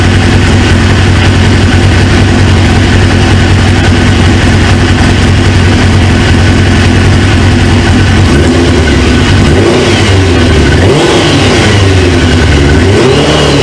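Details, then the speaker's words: 1999 Suzuki GSX-R 750 with replacement used engine, restarted after fixing a pinched fuel quick-connect O-ring: steady even idle with clean rev blips, no knocks; runs well, though owner suspects a leaking injector O-ring and small coolant leak. "and then it starts smoking but other than that man this thing sounds good"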